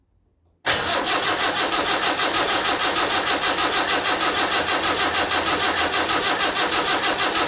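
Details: Land Rover Series 3 2 1/4 diesel at first start after rebuild, glow plugs heated: steady starter churn at about three turns a second, never catching. Injectors are cracked afterwards to check that diesel reaches them.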